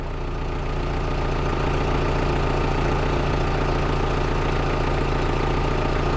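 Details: 2000 Volkswagen Jetta with intermittent stalling and no-start, running after start with previously missing signal now present on scope: steady even idle with smooth low hum, no misses, knocks or stumbles.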